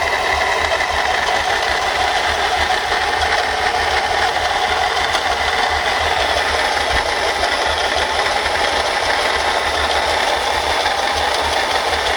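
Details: Mercedes-Benz C240 at idle: a constant gritty, rattling whirr from a broken water pump bearing that makes the pump wobble and leak water.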